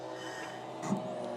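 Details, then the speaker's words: Hand-cranked diesel engine, throttle about 3/4 open with the wick holder removed; slow cranking with a brief thin squeaky creak midway as the injector injects; normal injector creak. "that Creek is the injector injecting"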